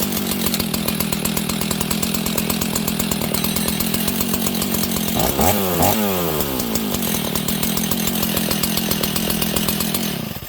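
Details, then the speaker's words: Husqvarna 61 chainsaw, idling too fast with a worn clutch: fast buzzy two-stroke idle with a rattling chain whirr that never stops; the chain keeps spinning at idle. "You see the chain, friends? So that chain is spinning."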